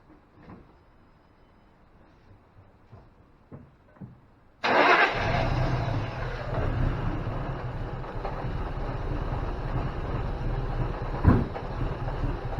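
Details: 2005 Ford Mustang GT no-start: a few quiet clicks, then it fires and idles slightly unevenly once the MAF sensor is unplugged, pointing to that bad MAF sensor.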